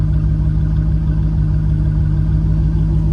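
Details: V8 fitted with fourth-generation Bosch injectors idles crisp, with a steady, even low rumble and no stumbles or misses, compared with the misfire-like symptoms of the grey Multec injectors.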